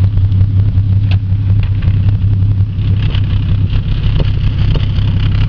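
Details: 1992 Ford EB Falcon idling, heard at the tailpipe: uneven, lumpy exhaust beat with a dead miss; compression loss found when cranking, blown head gasket, cylinder found by injector balance test.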